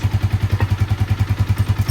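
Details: Yamaha Vixion engine (same as Jupiter MX) after reboring to cure piston-wear ticking (kletek) noise, compression back to normal: deep, evenly spaced thump about ten times a second, no slap or rattle; healthy smooth idle.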